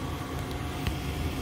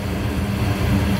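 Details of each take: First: Goodman gas furnace heard close up during a 3-blink lockout: a steady, even inducer/draft-fan whir with no ignition click or flame. Pressure switch stuck open from a clogged inducer port. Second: Goodman gas furnace after clearing a clogged inducer port: the main blower motor has come on, giving a low, steady rumble and hum with no surging or clatter as it distributes heat. Normal operation.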